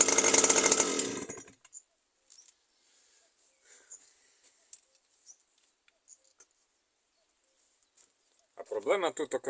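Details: New Stihl FS 120 brushcutter that stopped starting after break-in, fixed by replacing a faulty spark plug: fires up crisp and even in short bursts with quiet gaps between, pulls cleanly; sounds healthy.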